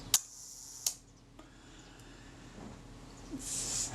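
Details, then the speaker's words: Leaf shutter from a camera serviced for a new shutter-cocking rack, first speed test after reassembling the gear train: two crisp snaps with a short smooth buzz between. It runs down smoothly but is probably slightly fast. "probably slightly fast but at least it ran down smoothly"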